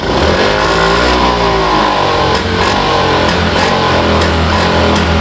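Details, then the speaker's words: Honda Vario FI scooter after injector cleaning, heavy pull complaint. Under throttle the revs climb and then sag back repeatedly instead of following the throttle grip, losing power at high rpm. Suspected causes include the air filter. "yang seperti ini teman-teman bukan berbuat namanya tapi dia Lost Tower atau kehilangan tenaga ya di ujungnya"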